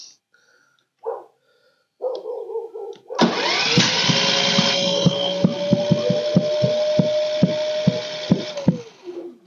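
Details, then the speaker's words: Pulsar inverter generator won't start, pull-start attempt: sharp uneven pops over straining engine from intake valve stuck by gummed old gas; fixed by adjusting valves without removing head. "hear that popping valves so let's get you down closer and let's adjust these Valves and fix it up"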